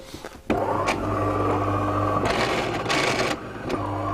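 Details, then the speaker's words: De'Longhi bean-to-cup coffee machine that has packed up: the motor starts with a click and runs a loud, steady hum with rattling surges, the mechanism noisy inside, then it turns itself off. "you can hear the mechanisms really noisy inside right it's turned itself off"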